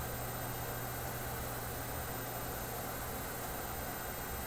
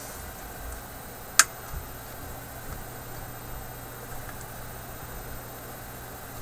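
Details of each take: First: Philips 922 vacuum tube radio at first power-up after all its paper capacitors were replaced: a steady low hum over a faint hiss persists even with the set switched off, though the power switch had been shorted out. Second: Philips 922 vacuum tube radio after replacing all paper capacitors, power switch shorted out: steady soft quiet hiss with faint low hum, no station tuned, antenna not yet connected; normal background hiss.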